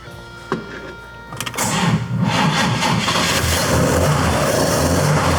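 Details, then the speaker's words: 1954 Corvette at first start after purchase, with some issues fixed but timing not yet dialed in: it cranks, catches, then settles into a low, uneven, lumpy idle at about four beats a second; idle too low, to be turned up. "Idle's a little low. Let me turn that idle up."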